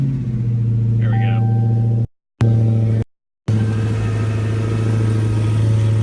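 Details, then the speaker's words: 2016 Dodge Challenger Hellcat after supercharger replacement at 4,800 miles for bad ball bearings, warming idle: deep steady even rumble with no bearing whir or whine, supercharger quiet and healthy. "the sound is just a lot quieter of course you are still gonna have some sound of the spinning in there [Music] especially once the engine starts idling even quieter [Music] which is exactly how it should be"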